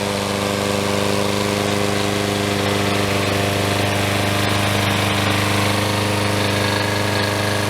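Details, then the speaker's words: Troy Bilt self-propelled mower, 6.75HP Briggs & Stratton, new blade, after replacing broken intake tube and carburetor throttle linkage: steady even drone, no surging, rattle or knock; runs smooth and healthy. "So here we go here. Sounds much better. And Propelled works very nicely. Cuts nice with a new blade."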